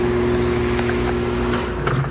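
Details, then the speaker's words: 2017 two-bladed Rheem central air conditioner condenser, revisited: steady low motor hum with constant tone under the fan; noisy fan motor, as with many newer two-bladed Rheem and Ruud units. "And yeah, a lot of newer two-bladed Rheem and Ruud units get really noisy. And yeah, the motor's also noisy on this one as well."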